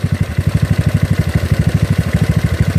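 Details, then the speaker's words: GY6 scooter with an OKO PWK 30 mm carburetor, intake manifold still cold, mixture screw about two turns out: a low, lumpy idle with irregular clucking near three per second, meaning the idle mixture is too rich. "it's too rich I think I hear the engine being cluck cluck cluck cluck"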